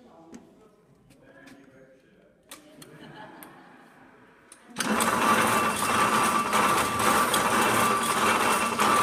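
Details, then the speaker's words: Spool Axminster carpet loom with 288 spools switched on: quiet at first, then a loud, steady, even clatter at about three beats a second; loom running normally. "now i'm going to switch the loom on you can hear how noisy it is multiply that by 80 to 90 and you'll see what we had to put up with"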